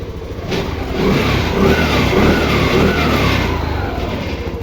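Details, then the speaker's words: TVS Jupiter BS6 scooter with hard-starting and stalling problem, started after battery disconnected and reconnected several times: fires, brief throttle blips, then settles into steady even idle; seems fixed but unconfirmed until road test. "എന്തായാലും വണ്ടി ഇപ്പൊ start ആയി correct ആയി നിൽക്കുന്നുണ്ട്"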